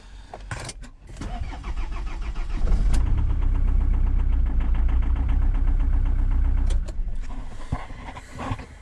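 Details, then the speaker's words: Diesel pizza van with two-battery setup; cranks briefly, catches quickly and settles into a steady even idle clatter; clean start. "Okei. Läks käima, ehk siis praegu ei ole sellel katsetusel väga mõtet."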